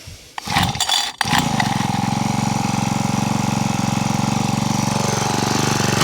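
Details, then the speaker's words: Honda HHH25 four-stroke petrol hedge trimmer, suspected of bogging and failing to start; after priming and choke, catches and holds fast slightly uneven buzz; runs but carburettor needs tuning. "Okay, wants a bit of a tune. Let me find the right tuner for that and we'll try and tune it up."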